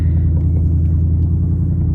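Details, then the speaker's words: 2024 Ford Mustang GT V8 back from accident repair, first start on return; deep, even low rumble with steady idle pulse, no knocks or rattles; normal idle. "sounds like I remember"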